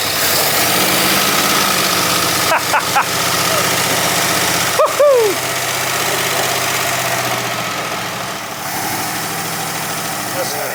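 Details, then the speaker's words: Barn-find 1960s Bristol 408 with carbureted Chrysler 5.2 V8, first start on a squirt of fuel: rough, loping, stumbling idle with hesitations, said to be running on maybe six or seven cylinders; a misfire. "about three that's running on maybe six or seven doesn't matter it's running it well fantastic fantastic"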